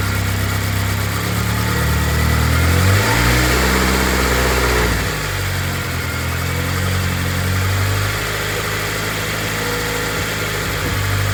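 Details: Honda K24-swapped BMW E36 after head gasket repair with freshly redone head, turbocharged, running rich then leaning out; steady idle with clean throttle blips rising and settling smoothly, no knocks or ticks, sounding good.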